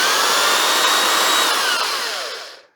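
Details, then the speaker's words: Older Black & Decker electric drill test-run on power after a storage clean-out: steady high motor whine holding even, then winding down smoothly when switched off; sounds good, no grinding. "Righto, let's see if we have some power. Oh, that sounds good actually."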